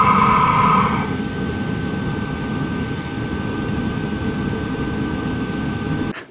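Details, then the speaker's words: LF BROS N2 Pro 2024 diesel heater with an Amazon aftermarket exhaust muffler fitted: a steady soft whoosh with a faint even whine and a low rumble. Smooth, much quieter exhaust, about equal to the supplied muffler. "Crazy how much quieter this gets. It's just amazing to me."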